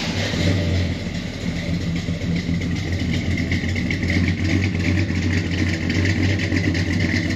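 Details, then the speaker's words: 1985 Chevy Suburban with a freshly rebuilt V8, a small camshaft, and new exhaust with Flowmaster mufflers, heard at the rear tailpipes: a deep, slightly uneven idle burble with a gentle lope from the mild cam. Otherwise healthy-running. "But let's hear what the exhaust sounds like back here at the back of the vehicle. She's got a small thump stick in her, nothing major."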